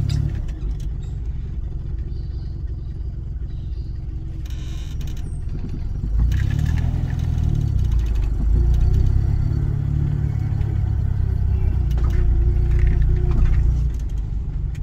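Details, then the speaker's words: Morris 1100S on road test after front-end repairs including left front hub bearing replacement and hydrolastic suspension refill; steady low road rumble rising with speed, no growl or hum from front hub; bearing sounds healthy. "I just want to hear that front suspension hub so far so good I came up out of the workshop and uh it sounded perfectly fine"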